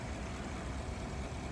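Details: 2014-17 GMC Sierra after changing the belt to cure rough idling and surging rpm: low, quiet, even idle rumble without hunting or surging, runs smooth as silk now; normal idle.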